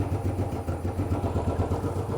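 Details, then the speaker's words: Royal Enfield Bullet 500 (last 500 UCE, pushrod, hydraulic tappets), 18,000 km, stone cold first start of day: steady even low thump at fast idle, no top-end ticking; healthy cold start, quiet tappets. "Now this has done 18,000 kilometres, and yes, it's stone cold, not been started this morning."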